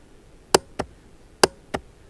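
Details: Honda Rancher TRX350 ATV after the starter relay (solenoid) was replaced: two pairs of sharp clicks in near silence, no cranking; starter clicks but won't crank, and the starter motor is now suspected.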